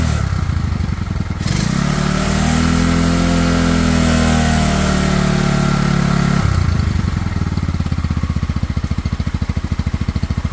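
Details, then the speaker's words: Pioneer Nevada motorcycle after a new carb and a cleaned tank, choke off: an even single-cylinder putter climbs cleanly to a held rev, then returns to a steady idle; it runs healthy, though the throttle is slightly sticky. "so as you can hear in the background there she is now fully running on her own the new carb with obviously the cleaning of the tank seems to have done the trick um you know the choke is off so the bike is now fully running on its own idling she revs there"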